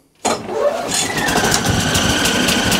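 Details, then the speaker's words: Hayter Ranger 53 mower with a drive fault: engine runs with a faint, thin squeal steadily above the motor noise; the drive belt is not turning, so the gearbox is not driven; a belt problem is suspected, not confirmed. "so okay so straight off the bat that um that blade that belt is not even moving that at all in its position i heard a little tiny squeal"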